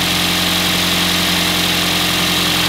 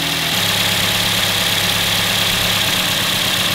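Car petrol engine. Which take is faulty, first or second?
second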